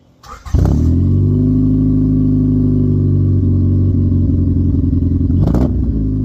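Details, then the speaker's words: Honda with a lingering stutter, spark plugs, injectors and distributor already addressed, heard from the exhaust: steady drone after revs with uneven flutter at low rpm smoothing higher up; owner suspects fuel injectors or fuel filter. "So, as you heard, as I gave it a few revs, It flutters at the bottom, but then it's but then it smooths out the higher up it goes."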